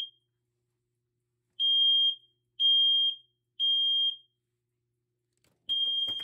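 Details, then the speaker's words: BRK/First Alert smoke alarm (SC9120B smoke/CO or 7010B photoelectric) tested with canned test smoke: shrill high beeps in threes with pauses, alarm correctly detecting smoke, LED lighting red. "so now we're going to use smoke Centurion and it's going and when it detects the smoke this led is going to light up red head"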